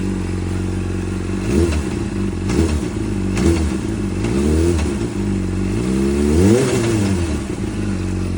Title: Weird noise(knock) when dropping the throttle